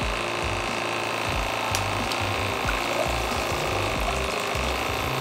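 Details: Geyser Systems portable off-grid hot shower, valve fully open to drain the remaining tank water; steady pump buzz with a rhythmic low pulsing as water is pushed through, running normally.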